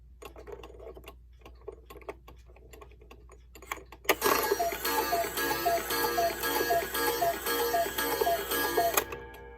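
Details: Bachmaier & Klemmer cuckoo clock, late 1950s, after repair, on the wall with the bird bobbing and the door closing properly. Quiet ticking, then a run of clear two-note cuckoo calls repeating evenly over music; the call mechanism works normally.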